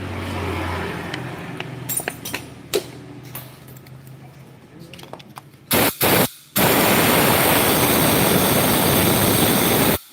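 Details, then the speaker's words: Small motorcycle in neutral, revved under throttle, running harsh and uneven with a rough knocking edge; after a rebore at another shop the piston was installed reversed, and the connecting rod has excessive side-to-side play. "ganti boring motornya jadi kasar suarane yo wajarlah bengkelnya nggak tahu lupa atau memang kurang pengalamannya memasang piston"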